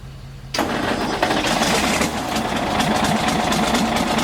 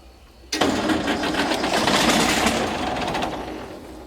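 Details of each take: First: Galion T500 motor grader diesel, sat 14+ years since 2007, cranked again after turning the fuel back on: fires and picks up into an even, regular diesel clatter that holds steady; running properly. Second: Galion T500 motor grader diesel, sat 14+ years since 2007, first start attempt after radiator hose, hydraulic line repairs and hydraulic fluid fill: starter churns at an even rhythm with no firing; fuel shutoff left closed after pump removal.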